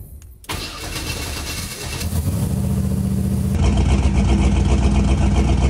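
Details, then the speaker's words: Engine at startup with known coils and coil extension harness that caused the same problem before: cranks and catches, then idles with an uneven, lumpy beat, like some cylinders missing; cause not confirmed; engine misfire. "we're having like some weird uh Miss just doesn't sound right at all couldn't figure out what it was"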